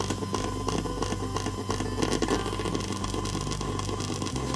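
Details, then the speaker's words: PC front-panel earphone jack with a phone charging from the front USB port near 99–100%: constant crackly hiss with a pulsing buzz. It is interference from charging current, likely trickle charging, and the pattern changes with the phone screen on or off. "휴대폰이 전원을 이렇게 꿀꺽꿀꺽 마시고 있구나 그리고 파면 이 켜져 있을 때랑 꺼졌을 때도 절루 패턴 의 변화가 생기는 것도 알 수가 있죠"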